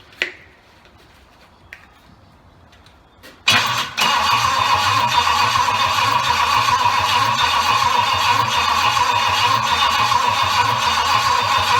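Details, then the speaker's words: Triumph Stag V8 on its first test after a full rebuild, cranked with a jump pack. The engine spins steadily and quickly but never catches: cranks but won't start. Lack of fuel to the carbs was first suspected; the cause was later found to be a wrong firing order and carb setting. "well the good news is the jaw pack starts what works really well the bad news is it don't go so a bit more investigation i think"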